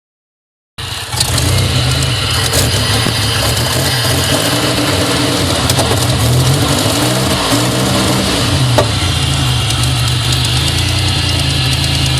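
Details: 2000 GSE on a cold morning start: lumpy, uneven idle with occasional sharp backfire pops and audible injector ticking; misfire with no codes, goes away once warmed up.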